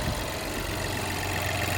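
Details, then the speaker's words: 2021 Chevrolet Trailblazer LT, 1.3-liter turbocharged engine, salvage-auction car missing body pieces: engine starts and idles smooth and even with a steady low hum, no knocks or ticks; sounds healthy, normal idle. "they got that engine sounds perfect"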